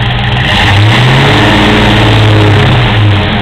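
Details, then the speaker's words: Rebuilt original 5.0 V8 Fox Body Ford Mustang, manual, just cold-started, new clutch fan, EGR deleted: steady idle picks up cleanly on two quick throttle blips and settles back evenly, no knocks or stumbles; sounds good, healthy. "see it starts right up and runs and no noise whatsoever anywhere"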